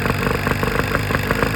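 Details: 1995 Force 40 hp outboard mounted on a boat, being rebuilt for water in the cylinders; after being torn down, resealed and reassembled it still runs rough: uneven, lumpy idle with irregular bursts and stumbles instead of a steady beat.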